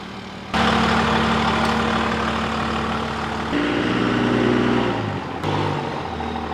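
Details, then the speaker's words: Dodge Ram diesel at idle during a front-end rebuild: an annoying squeak that shifts pitch when steering either way; the track bar bracket appears to be moving, and the planned fix is drilling the frame to add a missing bracket bolt. "so as you could hear that really annoying squeak when you turn either away it looks like the track bar bracket is moving"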